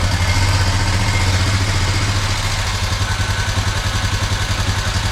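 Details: 2021 Honda Foreman 520 4x4 ATV single at idle, before valve adjustment. Light, quick ticking at about four per second over the idle. Valve tick from loose valve clearance; the specs are intake 0.006 and exhaust 0.009.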